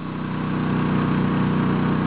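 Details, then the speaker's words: Honda EU2000i inverter generator stepped up to a 1200 W load, heard from about 6–10 ft. Steady, even hum rising in speed and loudness as load comes on; louder but still easy to talk over; healthy. "the noise level actually went up quite a bit still would be very easy to talk over at 6 feet and at 10 feet"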